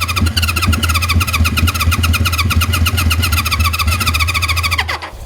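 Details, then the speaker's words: 1973 Honda CB350 Four, new condensers and spark, carburetors not yet cleaned and likely clogged, run on starting fluid: uneven popping firing for a few seconds then dies; catches but won't keep running. "now I haven't taken the car ball for anything I know that's probably clogged up so and I'm almost out of starting Floyd"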